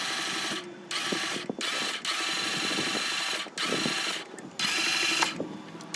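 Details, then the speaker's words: 2015 Ram ProMaster MultiAir 2.4 that stopped starting after running fine cranks in short bursts with a light, fast, even whir and no compression beats, as if valves or timing chain had gone; chain looks in place, air in MultiAir unit holding valves shut. "sino que se escucha como si el vehículo no tuviera compresión, como si se hubieran ido las válvulas o la cadena de tiempo."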